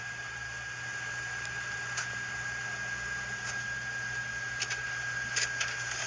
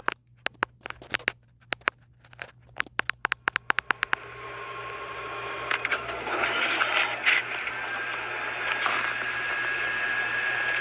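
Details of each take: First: Sharp MX-4100 inner finisher (MX-FNX9) after lubing its shafts and bushings to cure a loud squeak: it runs nice and quiet, with a low steady hum, a few soft clicks and no squeak. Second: Sharp MX-4100 copier with MX-FNX9 inner finisher starts with clicks, then a loud steady high squeal and screech over the paper-feed whir from the finisher exit area rollers.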